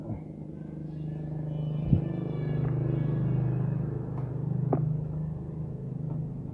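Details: Honda Grand/Supra C-series engine after replacing the worn automatic cam-chain tensioner, with new chain and rollers, good piston and head: smooth, steady low hum with a light throttle blip and no klotok top-end clatter. The engine runs normally.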